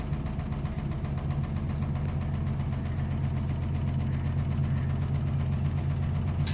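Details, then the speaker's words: LG fully automatic washing machine after inlet valve repair, drain motor and pressure switch working, drum spun up to full speed: steady low hum with even rapid throb about four beats a second, no knocks or scraping; normal spin. "मात्रा में बढ़ ग मतलब total अभी speed पर आ चुका"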